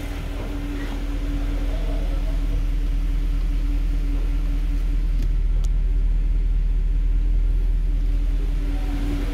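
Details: 2013 Mercedes C63, 100k km, after throttle bodies refitted, fault cleared and battery replaced: cold start idle, steady deep low even hum with no knocks or ticks; normal healthy idle.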